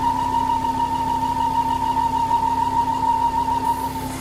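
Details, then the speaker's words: Ford Focus XR5 2.5 turbo (Volvo engine) with erratic idle, engine light and a lean fault code: a steady, fairly high whistle over the idle hum, pointing to a failed PCV valve in the oil filter housing. "you can loosen off the oil cap if you start to hear an idle change and noise change you are pretty much guaranteed that it's going to be a PCV valves failure"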